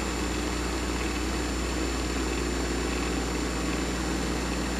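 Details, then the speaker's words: Vintage electric motor (1 hp Westinghouse or early Dumore) starting through a resistor current limiter with 1/6 of the resistor still in circuit: smooth, even hum at constant pitch, no knocks or surging; now reaches full speed, where with 30% it hit resonance and fell back. "So this is 1/6 of the resistor still in the circuit. Let's see if it'll make full speed this time. Yep, there"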